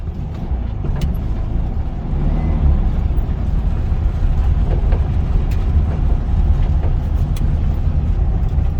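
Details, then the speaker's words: 1974 VW Beetle air-cooled flat-four runs with a steady, even low chug and no knocks or misses, after the tunnel metal fuel line was replaced and the pedal assembly reinstalled. It sounds healthy. "All right, let's start it up. Starts out pretty good."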